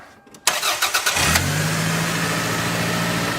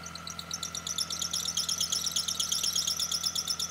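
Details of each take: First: After retensioning a deliberately loosened serpentine belt with the adjusting bolt, the starter cranks briefly and the engine settles into a smooth, even idle with no squeal or chirp; the belt now runs quietly. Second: Idling engine with quick, sharp drive-belt chirps about three a second; diagnosed by spraying the belt with water (louder means tension issue, fading then returning means pulley misalignment); belt itself in good condition.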